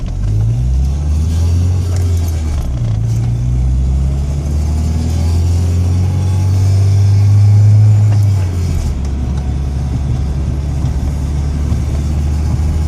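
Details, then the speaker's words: 1998 Volkswagen Jetta 5-speed after being stalled in reverse with a big bang from the engine bay: a heavy low droning rumble with an uneven throb of about four pulses a second that swells and fades. The noise has grown louder; the source is unknown. "well somebody please tell me what the [ __ ] that sound is coming from my car uh friend of mine tried driving stick and um had it in reverse installed in Reverse I heard a Big Bang from the engine compartment"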